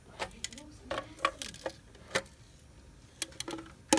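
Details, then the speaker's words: SL100W: irregular, light, tinny metallic clattering bursts come and go over a quiet background. Something loose, possibly a transformer, is rattling inside. The cause is suspected, not confirmed. "Like a transformer got loose or something. Hear that sound? Man, this is not normal."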